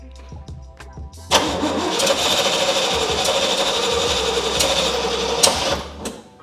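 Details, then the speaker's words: First start attempt on a 1967 Pontiac GTO converted to EFI with a Haltech Elite 550. Harsh cranking that rises abruptly, then cuts off without running. The timing light was hard to read, and a massive vacuum leak was found at the 4-wire idle air control, which the ECU cannot drive. Cranking, no start. "So we started it, or we tried to start it, and we had a lot of issues with this timing light."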